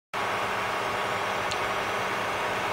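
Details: Stock cooling fan of a 12 V 30 A DC power supply runs very loud: a steady airy rush with no knocks or rhythm, a small fan running flat out, later replaced by a larger quieter fan.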